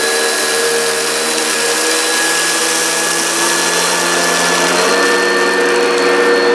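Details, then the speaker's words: Upright vacuum (American-made, Kirby, Oreck, Hoover or Maytag) running over dense carpet with rice and hairs: steady loud high whine with even brush hum; very noisy but grooms pile and picks everything up. Normal running. "so despite the fact it's very very noisy it has done a good job"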